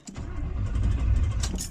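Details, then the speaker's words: 1972 Chevrolet Impala V8, unstarted since Sunday after rocker arm work, throttle pumped twice: steady starter churning with no firing catch, cranks but no spark because the coil wire was left out of the coil. "Oh, hey, you know what? That sound right there tells me one thing. My coil wire's not back in the coil. I forgot to do that."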